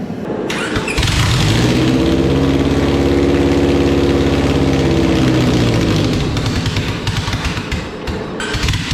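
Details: Honda Civic EK D-series engine, first start with swapped ECU and conversion wiring: cranks, fires right up, swells briefly with a rev, then drops to a smooth even idle without stumbling; running normally.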